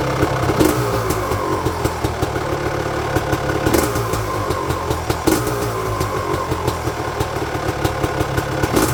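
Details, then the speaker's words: 1999 Honda CR250R two-stroke after a new exhaust gasket and springs fixed a front exhaust leak: crisp ringing idle with sharp throttle blips over a steady burble, no exhaust hiss or leak; quieter than before; normal idle and revving. "It didn't leak whatsoever in the front, and the sound was much quieter in front, because I thought that the engine's noise was much greater before when it was leaking. Now all the sounds come from there, which is great."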